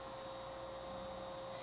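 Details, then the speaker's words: PS2 Fat disc drive after repairing a broken drive assembly and cleaning caked dust, reading PlayStation 1 and 2 discs: steady, even whir at constant pitch with no scraping or clicking; drive spins and reads normally. "you can hear it sounds normal cool and it is awesome so playstation 1 discs those are good so we won't have to adjust the cd laser at least we know that playstation 2 disk sounds normal as well"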